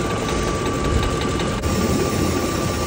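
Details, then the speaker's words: 2004 Ford F-150 5.4 3-valve Triton, new remanufactured engine with replaced camshaft phaser, heard near bottom side at idle after startup; steady idle with quick ticking at engine speed; cause unconfirmed. "It's not sounding much better. You hear it? Ticket, ticket, ticket, ticket, ticket, ticket, ticket, ticket, ticket. Not ideal."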